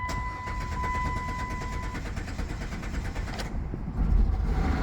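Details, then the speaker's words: 2000 Chrysler Sebring after fuel pump replacement: key-on chime, a few seconds of rhythmic starter cranking, then the engine catches and settles into a firm, steady rumble; a normal start, running okay. "Oh, there she is. Oh, she's a runner, folks. Well, folks, seems to be running okay."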